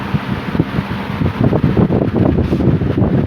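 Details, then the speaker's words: 1950s Worcester Wizard 6JC3020 20-inch box fan with sleeve bearings, running on high before restoration: steady strong rush of air, no hum, rattle or vibration; motor good and strong, normal running. "Fan is very powerful. It's good. Motor's good and strong to it. Good and strong. There's no humming or anything like that, so that's a good thing."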